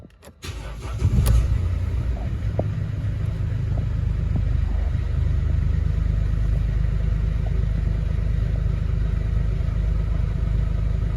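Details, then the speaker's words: 2011 Mercedes Vito 113 CDI, OM651.940 common-rail diesel at idle: steady, even idle with no misses or knocks, will idle all day; rough idle and stalling only occur after revving and returning to idle, owner suspects pressure control valve. Normal idle. "uh as you can see here car is idling fine no issues uh we'll do this all day long without without a problem"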